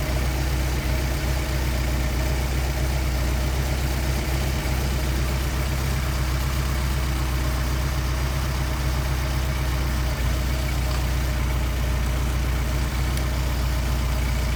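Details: Mercedes 190SL with rebuilt, synchronized Solex carburetors: steady, even idle with a low, smooth rumble and no pops or backfire on throttle blips; idle mixture set correctly.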